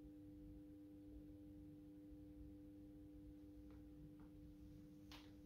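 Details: AEG Minikoffer West German post-top mercury vapor streetlight with its mercury ballast, starting a 125 W Osram Deluxe mercury vapor bulb. Steady, clean low hum at constant pitch with a few faint ticks during warm-up: normal ballast hum.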